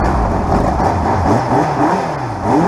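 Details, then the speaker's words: Honda GL1200 Goldwing, unregistered almost four years, started before teardown: smooth, even engine note rising and falling cleanly with throttle, no misses or knocks; running pretty good. "It's running pretty dang good. It's a shame what I'm about to do to it."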